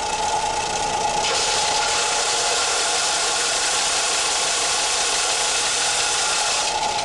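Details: Harbor Freight Central Machinery 4x36 belt/6-inch disc sander, 3/4 hp motor, after repositioning the motor on its mounts to cure stalling: steady motor roar and constant whine holding pitch under heavy pressure, no bogging or stalling.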